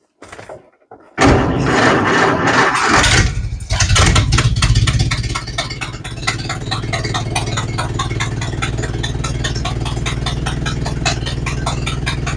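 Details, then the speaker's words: Model A Ford after four months sitting and new parts: brief grinding crank, catches within seconds, settles into steady even low idle with no misses, a little noisy from exhaust leak; normal idle. "okay so that went well started right up ran good except for that leaky exhaust it's a little noisy but that's all right I'll get to that"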